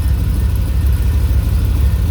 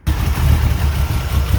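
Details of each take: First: 1985 Dodge D150, 408 stroker small-block Mopar, Comp Cams roller, Holley 850 carb, MSD, warmed up to 180 degrees with thermostat open: deep steady V8 burble idling at solid 700 rpm, even with no knocks or misses; healthy warm idle. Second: 1985 Dodge D150 with a 408 stroker 360 Mopar, Comp roller cam, Holley 850 carb, MSD timing locked at 10°, first start after sitting a while: deep, lumpy, loping idle around 700 rpm, rough while cold, cause unclear.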